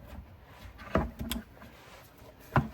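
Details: BMW 4 Series trunk latch after replacing the latch unit (BMW 51247840617), whose old motor ran but didn't turn the latch: brief whirr and firm clunks as the motor pulls the latch through; short, complete strokes, actuator working properly.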